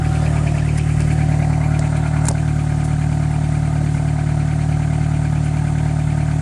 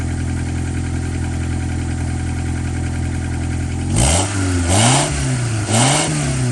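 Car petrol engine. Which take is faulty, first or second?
first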